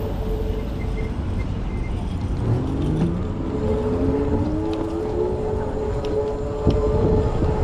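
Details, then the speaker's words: Zooz bike while riding, just fitted with new brake pads during bed-in, odometer about 166 on a replacement display: rising then steady singing harmonics over wheel and road noise; the new pads are still bedding in. "Yeah, I got some harmonics coming out of my brakes right now. I changed them a little earlier than I probably needed to."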